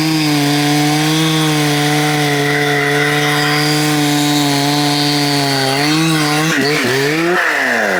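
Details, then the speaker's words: Husqvarna 266XP rebuilt from mostly NOS OEM parts, crank bearings not replaced, dull new chain: steady high buzz that wavers and bogs under load with some roughness; owner suspects bottom-end bearings, unconfirmed; rough running. "WELL, I DON'T KNOW WHAT IT SOUNDS LIKE TO YOU GUYS, BUT it sounds like it might need bearings on the bottom end."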